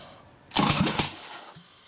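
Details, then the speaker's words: Harley Evo Sportster-based chopper, freshened 1200 motor before first start, cranked 3-4 seconds with a finger over the spark plug hole: heavy, even starter chuffs as each cylinder pushes back hard. Compression sounds strong and healthy, and it was hard to turn by hand. "now that doesn't even matter I knew that that sounded good just cuz it was so hard to rotate over by hand but that was maybe 3 4 seconds of cranking"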